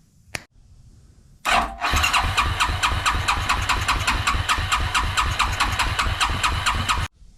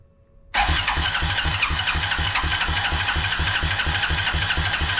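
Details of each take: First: Suzuki King Quad ATV (owner thinks a 300, 1995-97), left outdoors for years, with an old non-pumping fuel pump swapped for a non-identical replacement: the single cranks steadily about two turns a second without firing because no fuel passes through the fuel filter to the carburettor. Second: Suzuki King Quad ATV (owner thinks a 300, 1995-97), left outdoors for years. After the fuel pump orientation and lines were corrected, it fires at once and runs on its own fuel pump for the first time with a steady, even single-cylinder beat.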